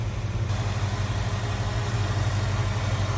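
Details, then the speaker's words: 1966 Ford Mustang convertible, 289 V8 with GT-style exhaust: deep even burble at steady idle, smooth, no ticks, knocks or misfires; runs well. "A little rumble coming out of that. GT style exhaust on it. Sounds good."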